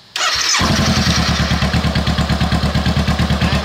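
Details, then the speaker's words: 2017 Honda CBR500R stolen-recovered salvage motorcycle, unknown fuel and battery state, clutch pulled and side stand up: brief cranking, catches within half a second, settles to a steady even idle; starts and runs normally. "it might have a side stand cut out switch on it okay when it turns over that's a good sign"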